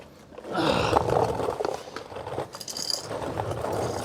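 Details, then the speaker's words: GMT800 Chevy Tahoe rear differential, bearing turned slowly by hand during disassembly: rough, gritty, uneven crunching and scraping. "oh man oh yeah she is crunchy crunchy crunchy"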